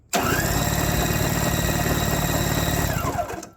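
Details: Curbside Toro S-200 two-stroke snowblower on its third spark plug: about three seconds of steady, even cranking with no firing or catching; owner suspects an ignition problem beyond the plugs, possibly the ignition switch.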